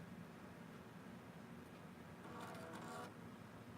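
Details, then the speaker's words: HP Vectra 486 DX2 with 16 MB RAM at power-on self-test: over quiet room hum, a short buzzy rough floppy drive seek burst about two seconds in, but the drive passes. "floppy guy did not sound very good but it passed so whatever good enough for me I don't care"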